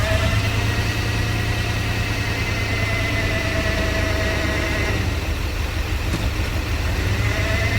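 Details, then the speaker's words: OBS crew cab truck, sat for years, just revived, warming up with good oil pressure: deep, steady V8 idle with an uneven, lumpy beat as one cylinder drops out. A misfire makes the engine shake badly. "I mean, other than that misfire, whatever's making it shake that bad, it seems healthy."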